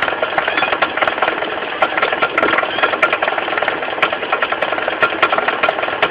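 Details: Mitsubishi 4G15 carburetted engine idling with sharp, uneven ticking knocks from low at the front: a loose crankshaft pulley rocking on its hub, fixed by tightening it rather than replacing it.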